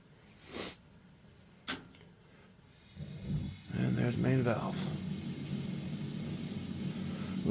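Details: 35-year-old Dunkirk gas boiler during a no-heat repair with a new gas control valve fitted: a couple of clicks, then a soft whoosh as the main burner lights and settles into a steady low roar. Normal ignition.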